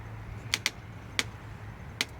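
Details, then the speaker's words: Bicycle cockpit with an articulated stem and a handlebar taken from a GT bike, bars worked by hand: a handful of sharp, dry, irregular clicks. Creak from the articulated stem, which has shims fitted. "that's a problem with an articulated stem like this you know uh and this this handlebar came off of that gt8 ball"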